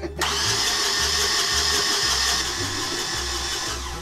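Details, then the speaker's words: Yanmar marine diesel on a sailboat, cranking after the starter was replaced: brisk whir with even compression pulses about three per second, no firing; normal cranking speed, fast enough to have hope of starting, with a fuel problem still to fix. "well that's the starter working now we got to get the engine working but that's a different video but the point is now it's spinning fast enough that the engine has hope of starting"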